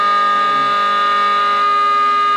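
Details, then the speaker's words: Two-stage Tesla turbine with plastic rotors in sealed cryophorus cold-steam system, about 20,000 rpm; steady piercing high-frequency whistle; lubrication not cleared from bearing fast enough, rotor not perfectly balanced, little vacuum, casing leaks between stages. "If we could perfect Tesla's balancing patent, we shouldn't be able to hear anything. But there's no vacuum. There's not a lot. Yeah, so it's very high frequency."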